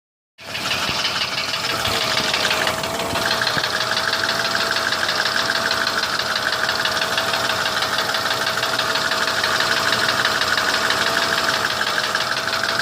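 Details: Mercedes W163 ML320 idling with a fast, uneven tapping knock about three per second that started after an oil change; engine knock, cause unknown.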